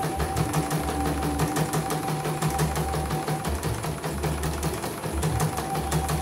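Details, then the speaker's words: CNY embroidery machine (M21 label; owner's note: heavy rotation, just back from another service, unusable) sent in fully jammed; test run after repair on small frame, cover closed: quick, even stitching clatter, no thumps or drag, stitches good, normal running. "Oke, jahitan juga bagus ya, kita lihat tidak ada yang loncat."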